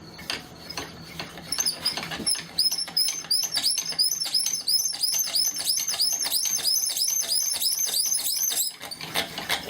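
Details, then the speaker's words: Bamboo spindle in a cord-and-flywheel friction fire drill squeaks with each stroke, high chirping about three times a second, as the glazed spindle tip slips; glaze must be worn through to get friction. "i could tell all right it was squeaking which means that we got to bust through that that glaze"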